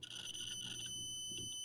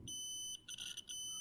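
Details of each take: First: Adafruit Feather M0 Bluefruit with soldered header pins in a breadboard, continuity test: steady high beep, clean and unbroken then fainter; pins seat deep enough in breadboard for good contact. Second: Adafruit Feather M0 Bluefruit with soldered header pins seated in a breadboard, continuity test: beep holds briefly, drops out twice and returns; connection not solid, signal cutting out.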